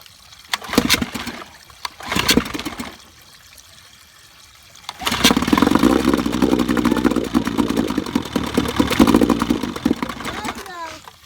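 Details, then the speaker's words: 1955 Evinrude 7.5 hp fleet twin outboard under restoration (new coils, cleaned/replacement carburetor, single-line fuel conversion), spark plug wires swapped for firing order: catches after pulls, runs ragged about five seconds, dies; owner can't keep it running to adjust the needle. "stay running long enough I'd know how to adjust the needle"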